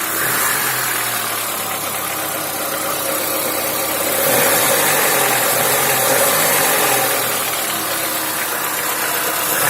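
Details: Lada Niva engine idling with a steady tapping about four times a second over the running noise, suggesting an internal knock; cause suspected, not confirmed.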